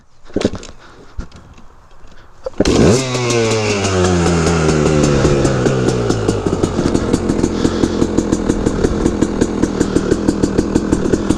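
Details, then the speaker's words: Restored KTM 300 EXC two-stroke, cold start on choke before test ride: crisp start, revs swing up then settle into steady popping idle about three beats a second; healthy. "put some choke into her, eh? Because I didn't do that. Loves a bit of choke, 2-stroke."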